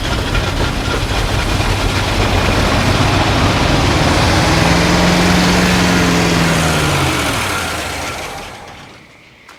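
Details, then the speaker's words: 1964 International service truck, first start after sitting, fuel poured into the carb bowl: fires at once, runs rough and loud on about four cylinders, smooths slightly, then dies. "man that thing popped right off that was awesome it was a little rough in the beginning running on like four cylinders it started to smooth out a little bit before it died guys"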